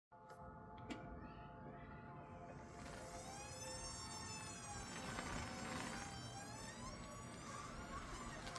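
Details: 2025 Toyota Camry LE, 300 miles, rolling slowly in forward, reverse and neutral: loud high-pitched squeal wavering with road speed; cause was transaxle seal failure.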